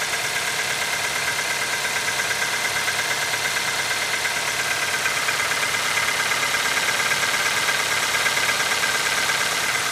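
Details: Nissan QG18DE engine at cold idle in −15 °C: steady idle with a light regular tapping about twice a second. Cold-start knock, cause unknown.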